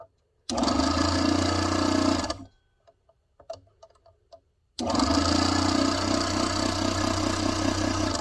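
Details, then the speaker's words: Proxxon mini scroll saw after loosening over-tight blade tension: steady even buzz of motor and blade, stopping and restarting cleanly, getting smoother; running well. "A little bit more. There we go. See how it's getting smoother and smoother?"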